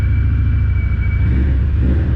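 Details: Car first start after the project was finished. Initially idled a bit high, possibly something stuck slightly open; now settled. Deep, steady idle with even firing and no stumble or miss. Running smoothly; cracked, corroded exhaust pipe noted.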